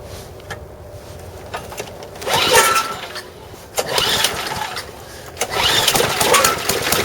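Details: Snowblower small four-stroke engine with dirty old oil, before repair: uneven bursts of rattling clatter; old damaged drive belt with a piece broken off chattering, going clunk at the gap; a bent bottom piece also found.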